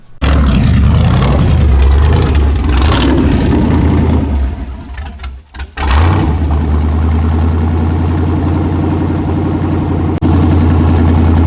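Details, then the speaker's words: LS 5.3 V8 swapped into a Ranger with a new cam, junkyard parts: a loud, lumpy idle that sags almost to a stall, then catches and runs unevenly. Suspected injector or coil problem. Rough idle. "Um trying to see if it'll idle this time, but seems like the injector might be an issue."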